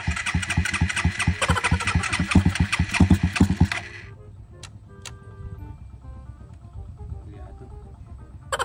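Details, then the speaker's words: Engine sputters in uneven bursts for a few seconds, then dies and won't keep running after water was deliberately added to the fuel tank; milky white water visible at the bottom of the fuel; failed start from water in fuel. "Kaya pala Ayaw umandar oh Alam niyo alam niyo sa sarili niyo kung sino yung mga nag-comment ha kay sisisihin namin Ayun walang Ayun o puting-puti yung nasa ilalim tubig"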